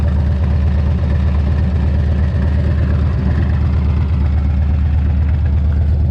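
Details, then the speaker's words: Harley-Davidson after replacing cracked exhaust crossover pipes and fitting a new brake caliper, with a small oil leak at the carburetor: even, loping low idle, no ticking or rattles on top; engine runs healthy; normal idle. "But man, she sounds good, she's running good, everything's nice and tight, and I'm ready for the summer, tell you what."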